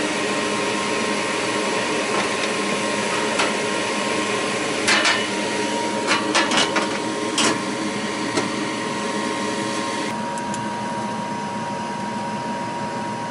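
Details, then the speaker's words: Goodman gas furnace after replacing the exhaust blower (inducer) assembly: steady, even blower hum with a smooth whir and a few light handling clicks, sounding much better than before; normal exhaust blower operation. "all right let's see what it sounds like now a lot better than me so"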